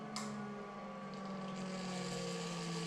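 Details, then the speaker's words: Series 8 printer first jet start, high voltage and phasing disabled, after green start button and 31 s countdown: brief click then quiet steady hum with thin constant tones as jet and return-gutter vacuum come up; normal startup. "when they go ahead and hit the green button at the top and it says start and you'll hear the Jets start up and started cycling starting in 31 seconds"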